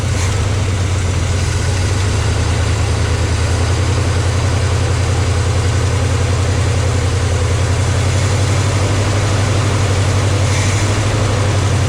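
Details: 1972 GMC 1-ton ramp truck, 454 Chevy big-block, revived after 27 years, fuel pump reconnected: deep steady idle, slightly lumpy rhythm but no knocks or ticks; oil pressure pegged, healthy and settled.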